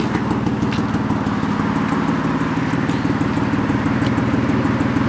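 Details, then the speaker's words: BMW E36 petrol engine at idle with a misfire: an uneven, lumpy beat that stumbles now and then, checked by pulling spark plug and coil connections one at a time. "so you talking still admits firing that's what we're gonna say I forgot White's misfiring"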